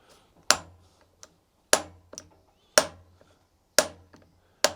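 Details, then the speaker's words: 2001 Kawasaki KX125 engine on a stand, turned by hand during teardown: sharp metallic clicks about once a second with faint after-ticks; connecting rod big end play, rod got very hot. "guys hear that? I don't know if you can see that, but the connecting rod got super hot, so I don't know."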